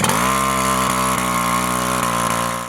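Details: WICK 375 pump two-stroke engine after priming, first ignition and opening the choke: high, even buzz holding a steady pitch without misses or surging, then winding down; normal running.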